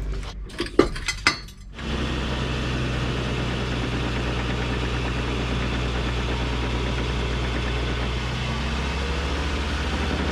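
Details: Ford PX Ranger jacked up with wheels spinning in 2WD and 4WD, noise seeming around the diff: steady droning rumble with uneven knocking; caused by damaged rear difflock actuator wires.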